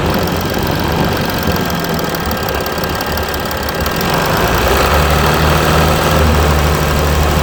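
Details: Mercedes E320 CDI S211, 3.2 V6 diesel 224hp, 250,000 km, 7G-Tronic, DPF and catalyst removed, cold start after sitting a week, smokes slightly on start: lumpy, uneven beat with clattery knock over low drone; rough cold idle, cause unknown.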